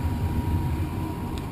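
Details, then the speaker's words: Furnace blower motor running after cleaning a dirty squirrel cage that had caused an imbalance rattle: a steady, smooth low hum with no rattle. Repair confirmed. "alright we fired it up blower motors are on it's running very smooth I don't hear that rattling noise anymore"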